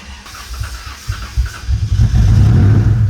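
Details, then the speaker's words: Old Toyota engine on a newly installed starter: long, uneven, chugging cranking that finally catches into a rough rumble; it then ran badly with misfires on cylinders 5 and 6, traced to a piece of plastic in cylinder 6. Extended cranking, hard start. "And it didn't start up right away. It took quite a bit of cranking, but once we did get it started up, it was less than disappointing."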